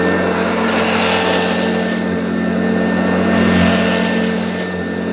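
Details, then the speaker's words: Mid-to-late 1980s Electrolux Z1030 Lite Special dirty-fan upright vacuum, first run after new cable and belt, pushed over carpet to warm up: steady drone with faint squeaky, uneven roughness; runs rough, owner suspects bearings needing oil. "well everyone at least it works but I'm sure most of you realize that it doesn't sound quite as it should it sounds a little bit rough but I don't think it's terminal"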